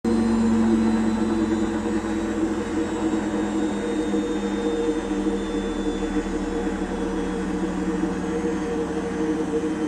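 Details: Apell washing machine drum slowing down from 1000 rpm spin: loud, rumbling roar from bad drum bearings.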